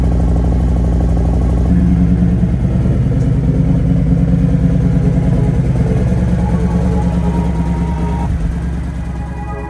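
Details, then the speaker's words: Harley-Davidson V-twin de-winterized after about two months stored with fuel stabilizer, around 35–36°F outside, warmed 15–20 minutes before a ride: even loping idle with steady beat under music, no knocks or ticks; normal idle. "okay the bike has been running for 15 20 minutes now and take it out for a spin run through all the gears"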